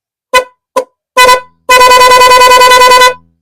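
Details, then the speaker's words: Motorcycle horn just fitted with an interrupter relay and relay: a few single honks, then clean horn tone chopping on and off rapidly and evenly for over a second; interrupter relay working properly, normal pulsing horn. "Puputol-putol, di ba? Tingnan nyo ha. So, pindutin natin ha. So, ang ganda ng tunog, di ba?"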